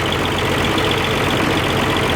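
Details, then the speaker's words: Oliver 1550 diesel tractor after reinstalling rebuilt number six injector: uneven hollow idle with one cylinder not pulling; ports six through three warming but number one not running, exhaust port cold, injector suspected and to be pulled. "number six is warming up good five four three now number one ain't wanting to run"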